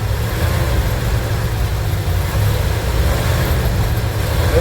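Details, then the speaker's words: Van engine running for the first time after work, fuel system still to be sorted: deep steady V8 idle rumble with even pulses, no knocking or misses; sounds good. "Have a running engine people. [Music] Now we got to uh this fuel thing doing it. Yeah, sounds good."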